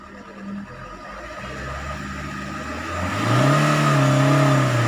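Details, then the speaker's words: Maruti Swift Ritz with starting problem, scan tool on rail fuel pressure: note climbs steadily with throttle and holds a clean, even pitch with no knocks or misses; normal revving, pressure reaching 18,000, pump judged good. "இதில் பாருங்கள் 18,000 வரைக்கும் வருது. இன்னும் pump இது நல்லா இருக்குது."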